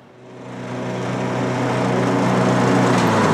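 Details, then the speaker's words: 2003 Simplicity Regent lawn tractor, 19-year-old Briggs & Stratton engine, revived after years in storage, mowing grass with cutting deck mounted; engine climbs smoothly into a strong even drone under load, running really good with plenty of power. "but i'm happy with the the engine it was running really good plenty of power to drive and mow and that feels pretty good to me"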